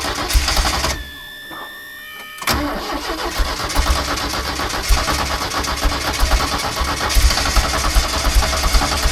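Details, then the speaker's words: Porsche 924 Turbo revived after sitting 24 years: cranks, fires, then holds a fast, uneven high idle that won't drop, with no throttle control and what sounds like a faint turbo whistle; cause unknown. "Now it just wants to rev on. But I've got no control."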